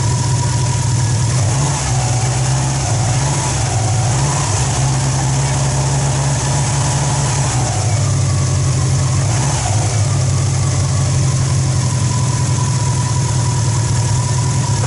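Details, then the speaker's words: Peugeot 206 (2005) rally prototype with 2003 Subaru Impreza WRX AWD turbo engine, first start after nearly three years and intake manifold rework, oil pressure light went off: deep, steady idle with a couple of clean blips returning to even beat, no knocks or misses; normal idle. "it runs and the oil pressure light went off [Music] starts [Music] bloody starts so after almost three years we finally have this engine running"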